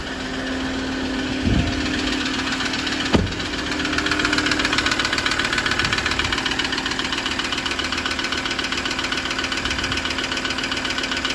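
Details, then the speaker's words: 2016 Ford Ranger diesel at idle: a light, steady tick about 2.5 times a second over a rough idle, heard after cranking. The source of the engine ticking is still unknown. "he's cranked over the finest its battery was causing his tick tick tick tick tick now"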